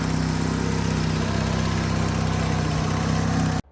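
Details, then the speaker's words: Vauxhall Calibra under restoration, after fixing split, rotted exhaust: steady, even low idle with no puffing or blowing until it cuts off; lovely and quiet again. "this is the state of the exhaust it's literally split all the way along and the end has just rotted away there we go lovely and quiet again"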